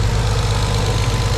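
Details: Nissan 300ZX Z32 petrol V6 idling with a smooth, steady low hum, no misfire or stumble; used as a normal example while checking injectors for a tick with a screwdriver as a stethoscope.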